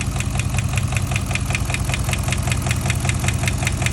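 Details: 5.7 Hemi V8 at idle: sharp, even ticking about five times a second; owner unsure whether rod bearing or lifter, plans to drop oil pan.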